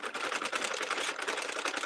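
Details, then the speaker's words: Crank knitting machine making a hat: rapid needle clatter with a slight extra clunk as the yarn colour changes. "this is doing way better than my Sentra did guys but you can hear it just a little bit you can hear the clunky just a little bit as the color changes"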